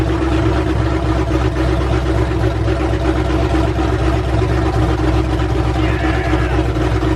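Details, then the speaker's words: Ford F100 V8 with new aluminum heads, first start on open headers without a cooling system: loud steady gravelly roar, no valvetrain noise or ticking, everything sounded really good. "there's no valve train noise everything sounded really good"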